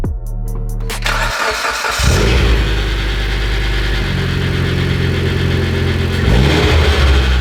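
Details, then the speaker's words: Mitsubishi Evo X engine running with serpentine belt removed and valve cover loosely refitted: cranks, catches, steady idle with busy metallic rattle seemingly from the crank pulley, which was checked and not loose. "It sounds like it's literally coming from right here, right on this crank pulley. Is that loose?"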